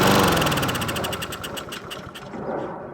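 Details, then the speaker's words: Husqvarna 7021P push mower with a Honda GCV160, unused for two years, started on starting fluid with the fuel tap left on: it catches and runs briefly, firing fairly evenly before fading, with no roughness or knock. Normal running. "Actually, don't sound too bad. You think we should get away with just a quick and dirty carburetor clean?"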